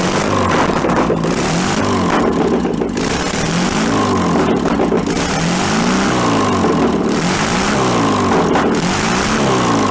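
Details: Barn-find 1966 VW Bus air-cooled flat-four, run out of the vehicle, carburettor still awaiting rebuild: steady idle that gradually drops as the automatic choke (stepper) warms and opens, running evenly; normal warm-up idle.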